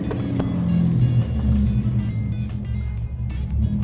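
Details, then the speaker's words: Datsun 280Z restarted after a drive following recent fixes. Right after the over-rev flare, revs sag into a slow, lumpy, uneven, near-stalling idle, described as dangerously low. This is a recurring problem the owner had earlier. "Dangerously low idle. That's not right. This is the problem I was having earlier."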